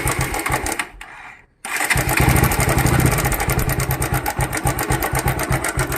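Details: Bajaj motorcycle after restart: loose, uneven ticking rattle about four a second over the exhaust; slack timing chain, fixed by resetting the tensioner so the chain tightens automatically.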